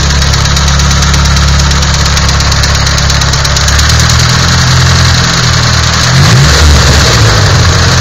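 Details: Nissan SR20DET at idle: steady idle with an uneven tapping knock over the low engine drone; knocking inside, cause not pinned down.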